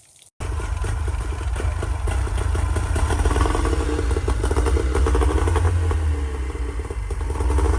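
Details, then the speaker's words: Tohatsu M3A3 30 two-stroke outboard after replacing carburetor, fuel pump, fuel filter and fuel lines, not yet warmed up: starts and settles into a steady, slightly uneven idle with light rattle, no fuel leaks; normal idle. "You know, after they warm up, they'll idle a little better. But yeah, I don't see any fuel leaks anywhere."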